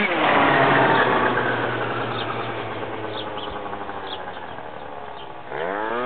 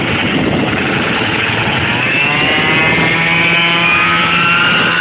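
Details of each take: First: MBK Next Generation scooter with 70cc Stage 6 Pro two-stroke and Dell'Orto PHBN carburettor, rev test: revs up, then blubbers and sags unevenly at mid throttle before picking up at full throttle; part-throttle stumble, carburettor still needing adjustment. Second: MBK Next Generation scooter with 70cc Stage 6 Pro two-stroke, Dell'Orto PHBN carb, long final transmission, recorded climbing a hill: buzzing engine with a high gear whine rising with speed; normal long-transmission noise.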